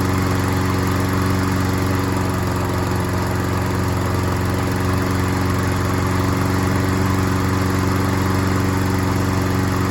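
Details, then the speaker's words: Troy-Bilt self-propelled mower after carburetor needle seat/gasket repair: even steady beat, no misses or knocks; slight hesitation probably from a wet old air filter running rich, later replaced. "I'd say it runs pretty good. It did kind of hesitate there, but that was probably because of that old air filter."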